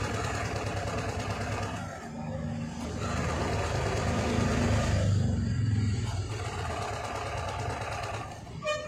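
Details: TVS XL100 BS6 moped with fuel pressure gauge fitted, customer complaint of cutting out while running; small single-cylinder putters steady and even, swelling slightly mid-clip before settling. Engine runs normally.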